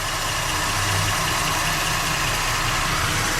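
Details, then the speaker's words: 2013 Ford Edge just after oil and filter change, AC and accessories off, checked underneath for leaks: steady, even idle with smooth low rumble and airy hiss, no knocks or ticks; healthy. "Turn the AC and everything, all that stuff off, start it up. So it's gonna run."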